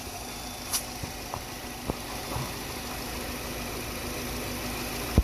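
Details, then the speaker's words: Nissan Altima 2.5L four-cylinder after intake timing solenoid replacement, which fixed P0011 stalling: quiet, even idle with a steady low hum and no vibration or stumble. Normal idle. "See how the engine is not vibrating? It's almost smooth. Like a Cadillac."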